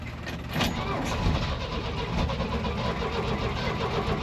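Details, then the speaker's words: C30 V8 carbureted engine on a cold start: it died until the gas was turned on, then the owner suspects it flooded on choke. Uneven, stumbling rumble that surges and sags before settling to a rough choke idle; finding: stumbling start. "uhoh sounds like we flooded it there we [Music] go got to warm up a [Music] little"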